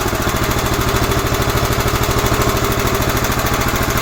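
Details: 11 hp Honda engine on an Emglo air compressor, after a carburetor and air cleaner box replacement and tuning. Rapid, even-pitched thumping that holds speed while pumping the two long tanks: healthy under load.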